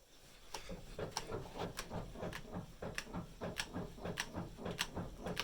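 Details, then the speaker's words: Parked car rocked side to side by hand at the door: sharp metallic knocks, about one every 0.6 seconds, from worn sway bar links. "чуємо специфічний стук це є наші солдачики"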